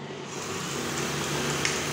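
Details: Brother 814 buttonhole machine, cloth padding fitted: steady even whirring hum with no knocks or rattles; running smoothly and quietly.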